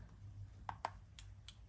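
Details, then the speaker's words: Furnace thermostat being tested for a no-heat-call fault. Two soft, sharp clicks when the thermostat is set to heat: the R-to-W contact closing, which is a normal relay click. "you hear that that clicked that was what I was looking for"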